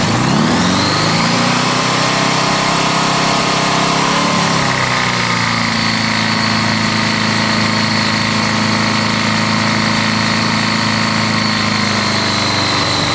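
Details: Honda GL1100 engine with rod knock and oil pressure drop: catches and settles to idle with a dull, steady knock under the exhaust note.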